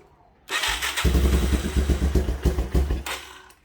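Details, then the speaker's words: 1985 Yamaha YTM225DR Tri-Moto revived after 30 years, carb previously had a sticking float: catches and fires, then idle surges and sags irregularly about three times a second, never settling; idle screw adjustment needed, cause not confirmed. "Huh. I'm gonna have to deal with this idle here."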